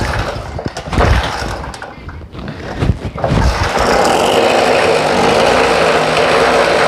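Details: Long-stored generator that would not start with no spark, after ignition wiring repaired; a few rough cranking bursts, then the engine catches and settles into a steady, even run with no misses.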